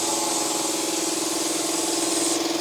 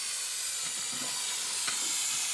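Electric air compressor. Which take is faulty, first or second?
second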